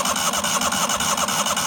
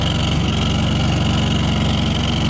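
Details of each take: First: Neglected 1998 Yazoo YTKC22 three-wheel mower cranked with fuel line disconnected to test fuel pump, solenoid working, needle and seat suspected closed: fast even starter churning, no firing; cranks but won't start, water later found in gas. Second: 1998 Yazoo YTKC22 three-wheel mower, cold, full choke, air cleaner fitted, gas possibly bad: small single-cylinder engine holds a fairly steady chuffing idle, slightly uneven but running on its own; lacks power to engage blades.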